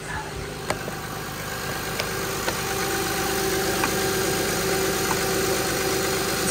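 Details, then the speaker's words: 2006 Honda Pilot 3.5L V6 after power steering pump replacement, with reservoir, high/low pressure line O-rings and hose already replaced earlier; system bled by turning full lock repeatedly. Now a smooth, even idle with a faint hum and a few ticks, no pump whine or groan. "do that a couple times and then that should be it you can hear it's quiet"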